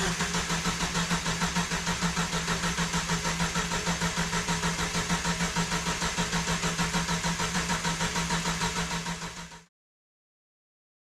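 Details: Jeep YJ, sitting about 6 years: fuel-pump relay ground bypassed. Steady even starter cranking, about three compression beats a second, never firing; cranks but won't start, no spark.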